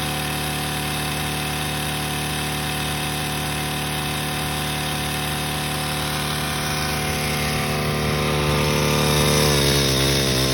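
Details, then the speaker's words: Craftsman 4-cycle small engine deliberately run with no oil after the original oil was swapped for ATF and then drained: steady high-speed buzz whose pitch sags and wavers as it labours. Owner hears a metallic sound, possibly rod knock, unsure. "No oil, and this damn thing ran way longer than I anticipated. I'm starting to kind of hear a metallic sound. Sounds like a rod knob, but I can't really tell."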